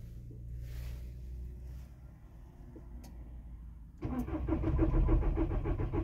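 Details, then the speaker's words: VW T5 diesel cold start after standing overnight on level ground, one glow cycle: starter churns about three and a half turns a second without firing; air in fuel system, started after further attempts; starts easily parked nose-down. "второй не пошёл после паузы ещё два раза пробовал завести и завёлся"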